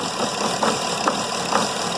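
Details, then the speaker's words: Mercedes E320 CDI diesel, EGR valve unplugged so in limp mode: idle stumbles with uneven thumps and nearly stalls when the EGR valve is pressed open; swirl flap linkage disconnection was later found to be the main cause. "it's not running great right now because it's in limp mode but still if I press down on this listen to the engine barely stays"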